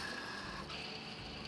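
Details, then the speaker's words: 2009 Subaru Forester engine pulled for a reseal and timing belt kit: old timing-belt idler pulley spun by hand gives a dry, gritty, uneven rasp; worn, grinding idler pulley bearing, being replaced along with the other pulleys and the water pump. "They'll kind of sound a little grindy. So, we got all new pulleys, a new water pump, and I got to clean all this stuff up, too."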